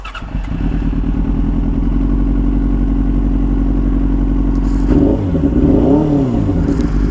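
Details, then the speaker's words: Yamaha R6 5SL before ignition coil replacement, struggling to pull away, with no codes or warning lights: an uneven, lumpy engine note with a stumbling beat, then a ragged rev blip. It is misfiring, as if a cylinder has dropped. "No, it's still not right. It sounds like it's dropped."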